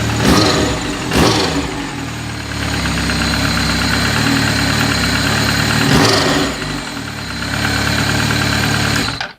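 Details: Just-rebuilt 2003 Yamaha R1 with supercharger and charge cooler, 1080 big-bore kit, forged pistons, steel H-beam rods, gas-flowed head and raised fuel injectors. At startup it holds a steady, even idle with a crisp exhaust beat and light blips, no knocks: normal.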